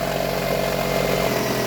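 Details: Toyota RAV4 after a no-start fault was fixed: steady, even idle with a smooth low hum and no knocks, misses or hunting; the engine is running normally.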